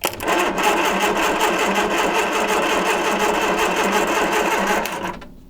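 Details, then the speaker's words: 1978 Triumph Spitfire 1500, sat for years, starter fed directly from battery bypassing solenoid: fast light even whirr for about five seconds with no cranking load; starter spins freely but engine, alternator and fan don't turn, seized. "good news starter works but obviously you saw there obviously nothing was spinning the alternator wasn't spinning the fan wasn't spinning because that's that's all seized up"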